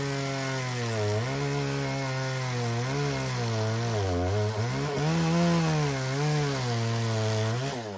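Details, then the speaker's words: Husqvarna 120 Mark II chainsaw with its carburetor adjusted, cutting a roughly 15-inch log; the buzz sags and recovers as it labors, which is normal for this small saw. "you can cut wood this size but you will hear the saw labor even with the carb adjusted"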